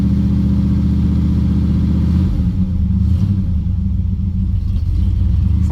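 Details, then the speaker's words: Cold start after fitting a starter wire and choke cable. The choke stays shut when cranking; with it pushed fully in, the engine holds a steady raised fast idle that shifts slightly. It feels a little lean; cause suspected, not confirmed. "We pushed it in all the way, but it's still up on first idle. You can you can feel that it's a little I can tell that it's a little lean."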